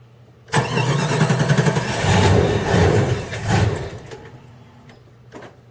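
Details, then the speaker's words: Chrysler 318 (5.2L V8) Jeep ZJ, full-time 4WD, cold start next day: long, hard cranking and uneven sputtering. Runs fine once warm and starts fine above 60°F or with a heater underneath. Most sensors replaced; owner suspects the ECM. "well I can keep on doing that he'll finally crank and win the smooze out it'll run fine and then once it gets warm rest of the day it'll crank and run perfect"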